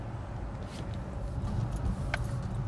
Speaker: oh listen to that thing this thing's clunking around all over the place this guy's flying